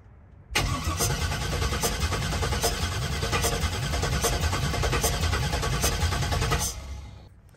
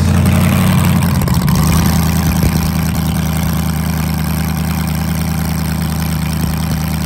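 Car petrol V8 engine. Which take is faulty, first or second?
first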